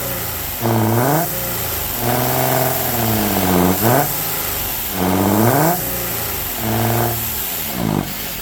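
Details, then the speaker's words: 1979 Ford Mustang, sat since 1991, running after carburetor refit: repeated revs climb slowly, strained and choked, smoke from exhaust; exhaust sounds plugged, suspected clogged catalytic converter, pipe to be cut before converter to check. "You know, I think the exhaust is plugged up. Blowing smoke out, but it sounds extremely labored to me."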